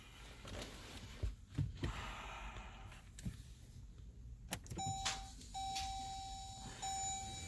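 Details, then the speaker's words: 2014 Jeep Grand Cherokee: key turn gives a single click with a door chime and no cranking; owner suspects the starter's plug-in wire connector (yellow wire clip) failing from moisture. "it's not cranking and it's just a click one more time"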